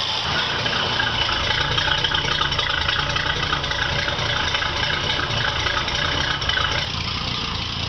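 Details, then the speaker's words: 1949 Studebaker C-cab pickup idling after its noisy glass-pack mufflers were replaced with a conventional pickup exhaust and muffler. The idle is steady and even with a mellow note, and no leaks are heard at the manifold flanges or the muffler. "So, let's start this puppy up and listen to it and check for the exhaust leaks in the system at the manifold flanges and at the muffler."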